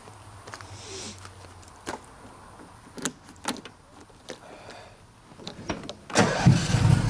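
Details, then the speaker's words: Briggs & Stratton twin engine with intake pops and bangs, one spark plug blacking up: scattered sharp clicks, then it catches with a loud pop and runs rough. Backfire on startup; owner fears the carburettor is set too lean, unconfirmed. "What the fuck? Made a pop and startup, that's not normal."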